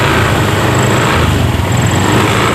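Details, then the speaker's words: Honda Beat scooter after repairing broken CKP sensor cable, kick-started with fuel pump pressure only about 15: small single runs steady and even, no stumbling or missing; weak fuel pump still needs replacing. "Ya, coba akan saya hidupkan dengan cara diengkol. Ya, motor sekarang jadi hidup ini."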